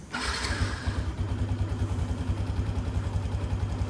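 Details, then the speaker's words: LC V8 after fitting a plug-and-play Kozi ECU that removes the rev cut-off: quick crank, then the engine catches and settles into a steady, even idle with no misses or knocks; a healthy start. "Okay, tak ada masalah."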